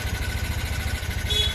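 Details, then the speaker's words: 2019 TVS Ntorq scooter that also burns oil quickly, idling with a quick, slightly loose tapping over the engine beat, about fourteen a second; top-end noise before timing chain and piston replacement. "ये देखिए इसमें ये एक साउंड की प्रॉब्लम आ रही है, ये साउंड आवाज़ आ रही है इसकी।"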